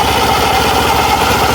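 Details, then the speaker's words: Suzuki Burgman Street scooter idling with a SkyDrive FI belt fitted to the CVT: steady, even, quiet idle with a smooth low drone and no rattle or belt slap; the CVT sounds normal, and the belt does not bottom out on the torque drive. "Ayan, kung makikita nyo, tahimik lang, normal lang kanyang panggilid."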